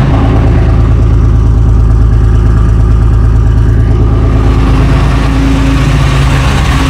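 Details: FV432 troop carrier diesel, long-sitting, being revived and running on real diesel: deep, steady, even rumble with clean throttle blips and no misses or knocks; normal running.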